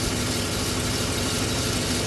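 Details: 2011 GMC Sierra just started after no-crank, run/crank relay green with corrosion, fuse panel suspected of causing backup lights staying on: short even steady-drone idle, no misses or knocks; normal idle.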